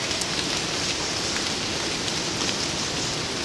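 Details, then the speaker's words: Mr. Heater Big Buddy propane heater, just lit with its built-in igniter, warmed up on the pilot and turned to low. A steady, even hiss with no popping or sputter: the burner is running cleanly. "and then turn it on to low, and you should start seeing a little, yep, there's heat coming out of there."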